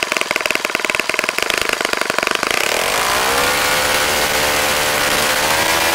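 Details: Saito FA-65 model four-stroke on its first run after rebuild, APC 12x6 prop, Morgan's Omega 10% fuel, Fox Miracle plug, heavily primed to start; rapid crisp firing settles into smooth steady high-rev scream, no misses or surging; normal running at full throttle.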